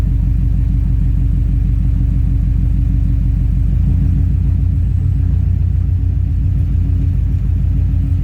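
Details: 2003 Subaru WRX, EJ207, AEM fuel pump, code P1230: loud deep rumble at idle with uneven, lumpy beat, jerking and bucking; owner unsure whether fuel control module, fuel pump or electrical issue. Rough idle, cause unconfirmed.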